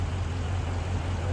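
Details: 2014 Dodge Charger Hemi at idle, diagnosed with compression test and lab scope: low, lumpy idle with a faint uneven pulse every fraction of a second, consistent with a cylinder misfire.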